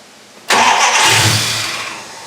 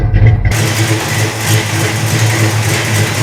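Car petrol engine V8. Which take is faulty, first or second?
first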